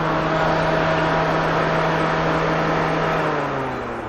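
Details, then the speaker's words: 2011 Nissan Grand Livina used car, electrical check after refurbishment: radiator motor fan switched from low to high speed, steady even whir over engine drone, no rattle or scrape, fading smoothly; fan works normally. "Oke, kemudian ada motor fan. Low speed hidup. Low speed hidup. High speednya hidup. High speed hidup."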